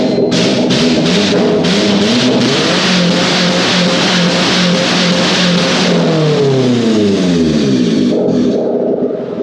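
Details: Honda car whose ECU was fried during a welding test, now running on a substitute ECU (possibly one for a '97 model): it catches and runs, then revs up and drops back smoothly with an even pitch over background music; healthy.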